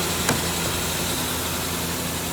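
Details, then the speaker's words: 2000 Ford Ranger XLT just started after sitting for a long time in a field, reportedly with a new motor about a year earlier: steady, even idle with no knocks or misses. It runs smoothly. "It's running really good though. Yeah. That sounds pretty good for being sitting for so long."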